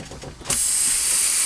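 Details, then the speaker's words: Truck air brake test, tractor shut off, red emergency line disconnected, red trailer valve pushed in: loud steady hiss as the emergency line vents normally until the tractor protection valve closes, at 95 PSI (must be no less than 20 PSI). "The air will leak out of the emergency line until the protection valve closes. Protection valve must close no less than 20 PSI."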